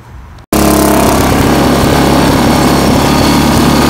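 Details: Old Snapper Comet 26 ('72) mower, started after greasing the blade spindle and lubing the differential and chain; it had ground and whistled at start before. It now holds a steady, even speed with no grinding or whistle; normal running.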